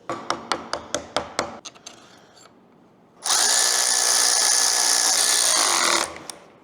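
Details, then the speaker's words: 1952 Caterpillar D4 dozer starter motor, sat 10+ years, bench-tested after cleaning dirty commutator: a few sharp ticks then smooth, high, even whir for about three seconds winding down; normal starter spin, dirty commutator was the cause. "We fixed it. That dirty commutator had to be our issue there."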